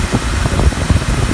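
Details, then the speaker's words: Volvo two-piece driveshaft spun fast after sandblasting and new joints: low, coarse rumble with uneven bursts from the noisy, rough center bearing. "but those bearings are noisy and that's the noise you hear it"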